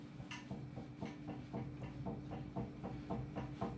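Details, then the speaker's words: GM 14 bolt (10.5) rear axle during regear to 5.38 Yukon gears: light regular clicks about four a second as the gear is rocked by hand after adjusting carrier bearing adjusters; excessive ring and pinion backlash. "that clicking in there that's the ring gear and pinion making noise"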